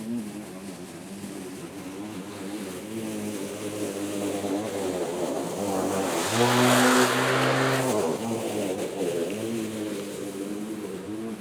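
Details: Litheli 13-inch cordless battery mower mulching very thick grass: steady motor whine sags and strains as the blade bites, then recovers; labouring under heavy cutting load but still cutting.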